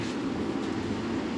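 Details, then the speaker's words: 1965 Ford F100 with 460 big-block V8, first start in 11 years after priming oil pressure: low even engine hum, no ticking or tapping; runs smoothly with a quiet valvetrain. "there wasn't a ton of noise coming out of the battle train either fantastic we got a runner seem to be a ripper"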